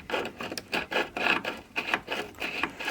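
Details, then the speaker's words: 1981 Stern Lightning pinball, flipper with a missing screw and an angled mount: a dry rasping scrape comes in bursts as the flipper is worked; the plunger scrapes on a guide, and the sleeve is probably worn down to the coil plastic. "the plunger scraping on the guide. So I'm sure that, oh yeah, that's why we got a screw missing, and it's on an angle, and the sleeve's probably shot and wore all the way down to the plastic on the coil."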